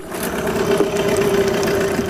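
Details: Yamaha 9.9 hp outboard running in a test bucket after a full service, restarted first pull with a good water stream showing the impeller works; steady, even idle with a constant mid-pitched hum, no knocks or misses, healthy.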